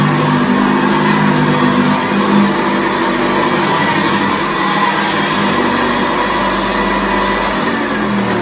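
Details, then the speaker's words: 1978 Hoover Senior Exclusive U4058 upright vacuum after repair and restoration: steady, smooth motor whirr and brush hum with no slipping or rattles as it lifts off the carpet; running normally. "I think as well we did keep the original belt on there, and as you can hear that, he's lifted it off the carpet."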